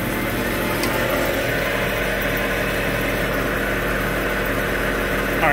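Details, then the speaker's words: Subaru with a roaring noise from the rear, with the wheels spun lightly in gear using a pedal depressor: a steady low drone with a rough hum underneath, the growl of a worn rear wheel hub bearing. "get a little speed out of it feel very loud and that wheel bearing is loud great I got pair of bed wheel bearings I have to do the uh"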